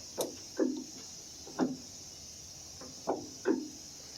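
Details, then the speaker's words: 1991-1995 Acura Legend coupe door check after removal and greasing of pin, before trim panel refitted: few soft thumps and brief creaks, no sharp pop; door operation now quiet and smooth. "quieter you know I'll say once all our components are back in trim finals back on you're barely going to hear anything at all"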